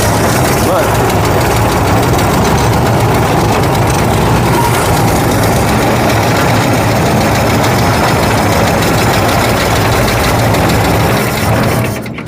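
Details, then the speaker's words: 1965 Ford F100 240 inline-six with replacement carburetor, after adjustment: low idle, slightly uneven lumpy beat that never fully settles, then shuts off; a lot better but still a little rough idle. "let's try it that's a lot better that's a lot lot better excellent still a little rough"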